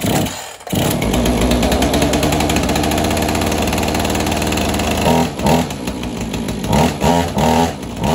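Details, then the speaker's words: Husqvarna 445 chainsaw, unused for about 10 years, after the choke was fixed: even, steady two-stroke burble with a few quick throttle blips near the end; running for a while so fuel works through the stiff carburetor diaphragms; settles cleanly and sounds healthy. "I'm gonna let the diaphragms really get the gas running through them again sometimes they're pretty stiff so I'm gonna let that run for a minute or so and see if I can rev it up"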